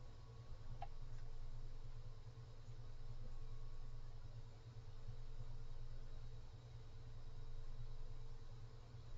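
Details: Cooler Master Mobius OC 120 PC fan at full speed: steady airy rush with low hum and faint housing tones; about seven harmonic resonances noted, significant airflow cone. Simply noisy at top speed.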